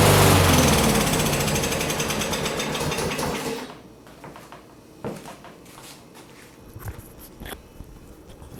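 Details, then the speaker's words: Push lawn mower sitting several years, started on a couple of primer pokes, cold: small single-cylinder engine firing with an even rapid chatter for a few seconds; running properly, to be warmed before oil change. Normal running. "well that was pretty easy i think i'll open the door i'll let it run for a while get it all warmed up and we'll dump the oil out"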